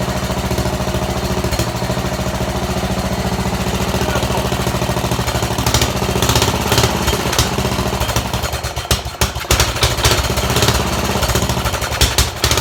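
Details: Sears Suburban garden tractor, small single-cylinder engine running steadily: loud, raw, rapid popping with no muffling of the beat; runs good, loud exhaust suspected from busted-out muffler.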